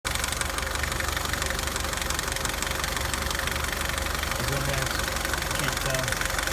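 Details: 2009 Nissan Altima at idle; loud continuous fast clicking tick about three per second from the passenger side of the engine, cause unknown.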